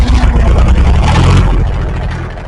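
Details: International 284 diesel tractor after fuel filter change and bleeding air from lines: deep steady thrum with even low pulses, no misses or stumbles, running cleanly.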